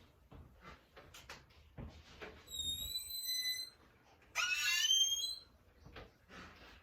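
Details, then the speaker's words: Very squeaky door hinge, two hinges with metal rubbing together, before lubrication: sharp high-pitched squeals as the door swings, between soft knocks and handling clicks. "so we have a very squeaky door case you want to hear it one more time let's do it okay so we have a squeaky door"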